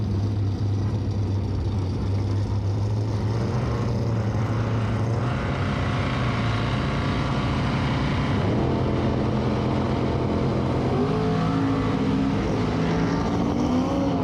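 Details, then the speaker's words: Twin-turbo GMC V8 at the drag strip under full throttle after a big burnout: converter flashed to the 6300 rpm set in the computer in first gear after launch, then the early (short) 1-2 shift let it blow through the converter, so revs climb without matching pull. "I had it set to 6300 in the computer, and when it flashed the converter up in first gear after the launch, it flashed it to 6300, shifted into second, and then it actually blew through the converter, and you can hear it as it does this while it's going down the track."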